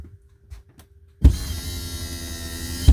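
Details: 2015 DRV Atlanta RV cable slide-out system: the motor kicks on with a thump, whirs under two seconds and stops with a jolt, snapping and clicking as the slide goes out.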